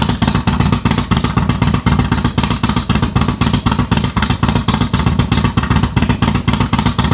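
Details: Harley Dyna V-twin with Comp Cams 4102 cam, after custom ThunderMax tune built without a base map: lumpy but even lope about four pulses a second, clean and consistent, no clatter or misses; runs healthy.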